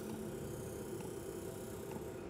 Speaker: But it's actually fairly quiet, to be honest. You're always going to have some noise because you've got the fan there.